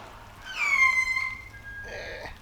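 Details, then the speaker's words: Giraffe Tools Grandfalls Pro pressure washer running a foam cannon. The pressure relief valve gives a shrill sliding whistle, then a shorter squeal as it dumps; the manufacturer later fixed this noise. Pressure relief valve whistle. "now the pressure relief on that thing sounds like a firework you know the ones that scream and whistle into the sky it's a little Annoying"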